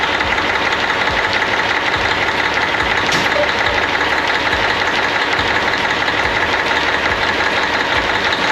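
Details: 1998 Freightliner Classic, Cat 3406E diesel, after replacing injectors and cups (fix for fuel dumping into oil at idle), injectors set at 52.32, fresh oil, 68 psi oil pressure: even steady idle clatter, no misses or extra knocks; normal clean idle.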